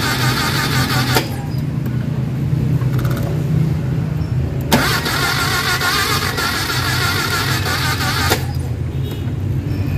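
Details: Mitsubishi Adventure gasoline 4G63, spark restored after IC, distributor and ICM conversion but still not starting: quick, even starter cranking that never fires.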